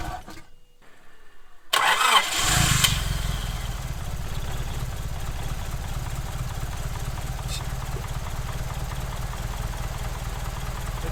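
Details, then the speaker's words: Honda Prelude engine restarted after work: cranks, catches, hits on all four and settles into an even idle with a faint light ticking; slight valve tick, to be adjusted later. "So I did just start it up again, started hitting on all 4, sounded pretty decent, a little ticky, but that can obviously be adjusted later."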